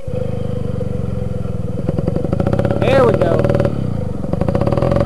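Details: Two-stroke moped that sat close to a month with bad gas, now running after the fuel was drained: a buzzy putter holding a fairly even beat with a brief rev partway through; it runs cleanly now.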